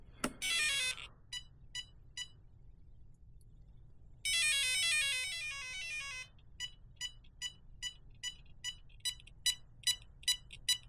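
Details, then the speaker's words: Traxxas 4-Tec 3.0 Corvette, ESC setup on 3-cell battery holding full throttle at switch-on: two long musical tone runs then short even beeps about two per second; ESC keeps cycling setup tones, setup possibly done wrong, not confirmed. "While holding full throttle on your transmitter, turn the ESC switch on. After a few seconds, you'll hear multiple tones and the ESC's red LED will light."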